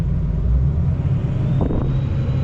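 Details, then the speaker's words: 2003 Ford F350 with a 6.0 Powerstroke diesel, idling with injector control pressure around 666 psi, then raised to 2000 rpm where it jumps over 1000 psi: a deep, even rumble with no knocks or misses. The high-pressure oil pump is working. "This goes up to 800. All right, I'm idling at 1.5. 2,000 RPMs, jumps over 1,000 psi. Okay, so that tells me my high pressure is working."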